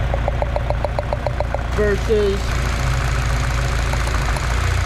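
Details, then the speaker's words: Saab 9-3 with misfire, found without a diagnostic tool: light regular ticking, about three or four per second, over a rough idle. Tick from one coil is very quiet; a failing coil pack is suspected and being replaced. "So, since that is like there's still a ticking sound, but it's very quiet. So, I'm going to go out on a limb and say that I need a new coil pack."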